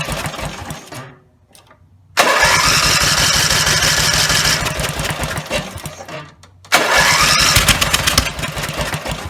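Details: Rebuilt Briggs and Stratton 17HP (carb rebuilt, plugs, sump, oil slinger, gaskets replaced, valves reseated) screams at full throttle, then sags and dies, twice; runs only held wide open; owner suspects the throttle linkage lever isn't resting on its screw.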